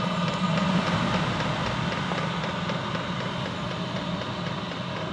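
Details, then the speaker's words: Chinese diesel heater after an E03 error and glow plug replacement, unused for a few days: continuous rough low grumble with an uneven rattling pulse under steady fan rush and heavy smoke; a new noise, cause unclear. "i can hear it it's having a bit of a grumble i think that's probably just because it hasn't been used for a few days and it's got to clear itself out maybe"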